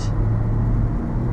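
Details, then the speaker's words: Toyota car heard from inside while driving gives a steady low engine hum with no tapping or ticking. A long-standing valve tap went quiet after an oil change to Valvoline MaxLife synthetic blend. "I got an oil change at valvoline and they put in the max life synthetic blend and my valves have stopped making noise it's amazing like my car is silent now like normally you'd be able to hear it right now even ticking"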